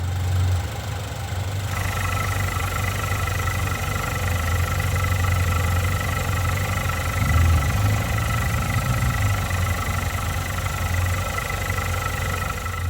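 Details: Turbocharged car idling with the oil filler cap off, run as a blow-by comparison. Smooth, steady idle with a soft even hum and no knocks. Healthy engine.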